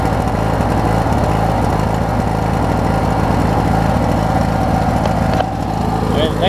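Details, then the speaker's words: Craftsman opposed-twin riding mower after new ignition switch, battery and deck spindles: fires straight up and idles down to a steady, even low beat; runs healthy. "And it'll idle down pretty good too."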